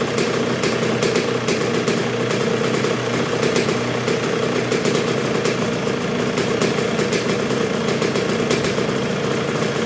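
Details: 1986 Honda CR125R two-stroke at first start and break-in after a new .060-over Wiseco top end: low, even idle with steady crackly beat, no stumbling or dying, though not yet fully broken in; idles cleanly.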